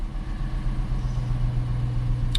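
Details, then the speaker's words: 2018 Dodge Charger AWD police car, engine idling after start and coming down off high idle before a JDi Ghost Lock fuel pump disable test: even, steady low hum with no knocks, misses or surges; normal high idle. "let it run for a little bit here and kind of come down off high idle before I do this."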